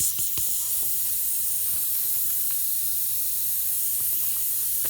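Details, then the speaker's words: VW Beetle tire: steady high hiss of air escaping, with no engine noise, from a screw puncture in the tire. "got a nice screw in the tire there"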